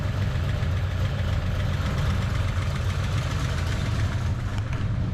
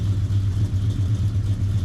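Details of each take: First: Foxbody Mustang V8 on factory computer, hood open, idle: light, fast lifter clacking over a steady burble; mild hydraulic lifter tick not considered too noisy, to be double-checked. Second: Foxbody Mustang V8 on the factory computer: deep, steady burble at idle with an even low pulse and no knocks or misses; idles really nice.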